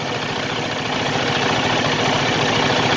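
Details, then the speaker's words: Used semi truck pre-purchase inspection, engine idling: rough diesel clatter with a quick uneven tick, about four a second, sounds abnormal; source not pinned down, possibly from sitting a while; ticking noise at idle. "That noise, taka-da, taka-da. That doesn't sound normal. Maybe it's just because it's been sitting for a while, but we'll see."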